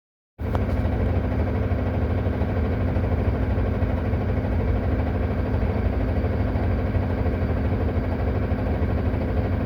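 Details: Solaris Urbino 18 diesel bus idling on the handbrake: loud, coarse rattle over a deep steady drone; loud rattle at idle.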